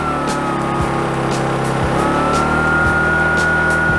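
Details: Petrol inverter generator for home use, just started with the pull cord and no load connected: loud steady engine drone with a constant high tone, no misses or knocks, idling normally.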